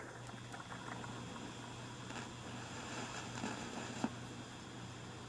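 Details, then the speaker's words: 1950s tube AM/FM receiver restored, warming up: steady low hum under soft hissing static with scattered crackles, expected to fade once the tubes are fully warmed; tubes glowing, no smoke, transformer fine. Normal tube warm-up static. "I'm beginning to hear a little bit of static that will fade away as soon as the tubes are fully warmed up"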